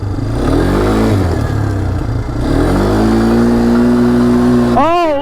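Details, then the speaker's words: 2022 Polaris Phoenix 200 quad after fixing a manifold air leak thought to cause a lean mixture, rough running and hard starting; revs climb cleanly with a steady rising pitch, no stumble or misfire; smooth normal acceleration, slight backfiring remains. "Logan the power delivery is out of this world and it runs so smooth now"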